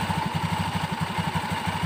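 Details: Honda Beat FI scooter CVT idling after the roller housing was installed (it had been rough and clattering from a worn, loose roller housing): even, steady putter of about eight beats a second, no rattle or knock; smooth, normal idle.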